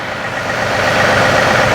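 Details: John Deere 3038e diesel tractor after rockshaft valve disassembly and adjustment, three-point hitch raised through positions to nine: steady idle firming slightly under hydraulic load, no groaning or pump strain; hitch stops without binding the pump, normal operation.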